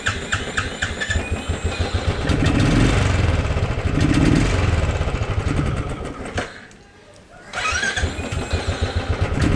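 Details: Royal Enfield Thunderbird 350 with a bogging and pickup problem, before carburetor cleaning; single-cylinder thump surges then sags, nearly dying before picking up, bogging from a dirty carburetor, resolved after cleaning.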